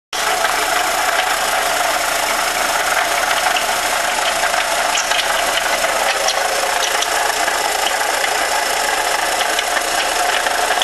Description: Here is a video of my fiance's 1998 Jetta engine. It is making knocking sounds. Please help us diagnose.